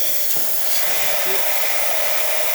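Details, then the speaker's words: Lucca dual boiler espresso machine after a full service, steam boiler recovered past 1 bar: steady, strong hiss of dry steam from the wand with even pressure and no spitting; healthy flow. "yeah cool and now we're going to test the steam by just running it"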